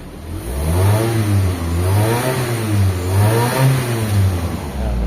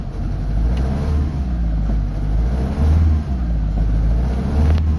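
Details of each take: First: Mitsubishi Lancer Galant with 4G92 engine, after repair of misfiring, poor pulling and unstable idle: revs up and down smoothly with no stumble or misfire. Engine now okay, no longer misfiring. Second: Mitsubishi Lancer Galant, 4G92 petrol engine, stored for two years. Push-started and revved, it gives an uneven, stumbling rumble that struggles to climb: a misfire with low power and no check engine light.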